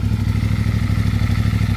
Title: Cfmoto 450MT Valve Guide Problem 7500KM | 450MT Ticking Noise (Yamatick) | 450MT Cylinder Head Noise